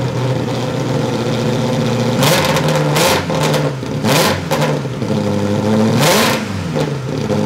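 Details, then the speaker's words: Ferrari engine in an Alfa Romeo 105 project, first start after fixing reversed crank-signal wiring: engine catches, holds a steady idle, then revs cleanly in several sharp blips and settles back without stumbling; engine running and revving. "right oh that sounds good oh that sounds good"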